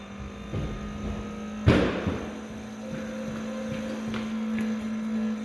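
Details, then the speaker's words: Farm diesel tractor with newly changed fuel filters, key on: steady electric fuel pump hum with one clunk, but the water separator bowl stays empty; found to be sucking air through an open filter drain. "It's not getting fuel into it, and I don't know why. I can hear the pump run when I turn it on, but nothing's going in there."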